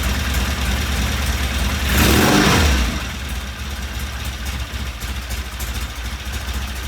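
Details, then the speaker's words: 1975 Norton twin with new starter relay, first start: uneven, lumpy idle with a brief rev blip and harsh firing; ignition timing too far advanced, not enough adjustment, so the rotor is to be turned slightly clockwise and the pickup reset. "I have to turn the uh rotor a little bit to the right clockwise because um it's too far Advanced"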